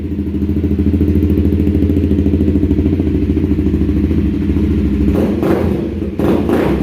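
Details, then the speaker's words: 2016 Honda CBR300R with about 3,000 miles, first startup after repair for bogging, stalling and rough idle: even, steady idle with a clean throttle blip, no stumbling or hunting; running normally. "give it a little oh yeah oh she looks good sounds good yeah yeah"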